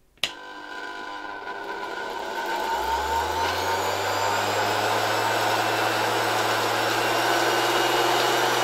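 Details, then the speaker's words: Worn antique bearings in a 1970 Zelmer 01 vacuum cleaner's East German Suhl type 1004.2/5 motor, greased but not replaced, run reassembled at much reduced voltage via regulator: airy whine spinning up slowly with a faint rough rumble, perhaps slightly quieter than before greasing. "Well, you can hear these bearings despite being greased, maybe a little less than at the beginning , but it was still nice to leave these antique bearings."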